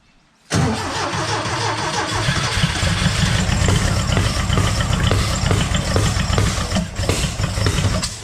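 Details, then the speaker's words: Green Porsche 914 with a newly installed 2-liter motor, first run before distributor adjustment: starts but runs rough with irregular pops and a choppy beat. Smoke from one side's exhaust, the other side empty and dry, so one side is misfiring. "yeah definitely poofing out this side a little dry though uh well this one's full of smoke that one's empty smokey"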